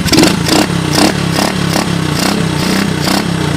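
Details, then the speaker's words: 1986 Honda TRX125 single-cylinder from a scrap yard, hotwired and run on a jump pack, fitted with a replacement carburetor. Throttle blipped repeatedly, revs rising and falling cleanly with no bottom-end knocking and no smoke; sounds healthy. "no smoke she sounds good I don't hear any bottom end noise matter of fact she sounds real nice right she just purs"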